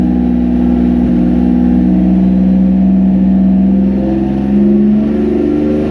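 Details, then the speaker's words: 1999 Nissan Frontier Turbo free revs smoothly past about 1400 rpm with an even drone and no stumbling. Crank/cam trigger and home signal breakup, which had limited revs to 1600 rpm, was fixed by setting ECU input filter levels to 0. Normal running. "That is freaking awesome. I don't know if you were able to hear the turbo on that, but again."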